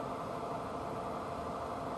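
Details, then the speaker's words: 42-year-old Suburban NT24M furnace lit and running after rebuild, fixed by a small spring once gas reached it: even steady rushing roar of burner and blower, no popping, surging or rattles; normal running. "There you go. It's amazing what happens when the thing can get gas to it."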